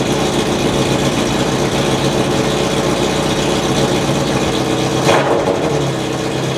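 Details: 2004 Honda CBR600RR revved with a newly fitted custom catless full-system header (straight pipe): loud, raspy revving with a deep, uneven V8-like burble well beyond a normal sportbike note.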